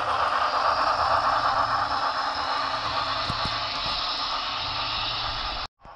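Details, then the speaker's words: Shop-serviced DCC model locomotive, address changed to 208, on the upgraded Grand Valley track: light, even mechanical whir with soft rail clicking and steady speed; runs flawlessly, normal. "Okay, she runs flawless."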